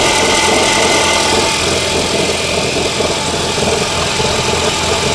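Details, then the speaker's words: Ford with newly installed engine, idling with clutch pressed, symptom began after about 10 km: uneven knocking rattle about three per second from the gearbox side; owner suspects the dual-mass flywheel or input shaft. "Я всё прослушал через рукоятку лопаты, но стук определённо доносится сбоку. Мне кажется, проблема либо во входном валу, либо в этом чертовом маховике."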